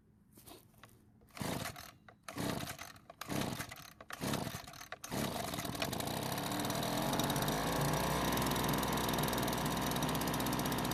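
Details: Leaf blower, small two-stroke, at spring start-up after storage: a few pull-start tugs, then it catches and settles into a steady even high buzz with no misses; runs normally.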